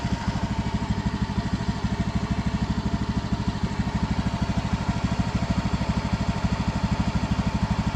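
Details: Honda Beat FI scooter after a new spark plug was fitted: a steady, even putter at about three pulses per second with no misses, a smooth idle.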